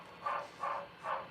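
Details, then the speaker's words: Model FEF-3 steam locomotive on NCE DCC, slowed to low speed steps (8, then 1): high, squeaky chirp repeating about every 0.4 s over a quiet background, like a dog chirping; the smoke unit fan chirps at low speed and is fine at higher speed. "It sounds like chirping, like from a dog. Like the funniest sound."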